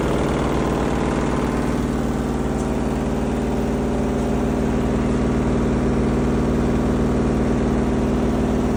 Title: Front load washing machine Sound Problem